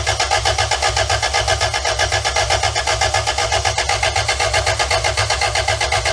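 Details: 2-liter engine newly installed in a van, not run for about 18 years, fuel pump on, before intake clamps were fitted: fast, even cranking as the starter spins it steadily, but it never catches; crank no start, cause unconfirmed.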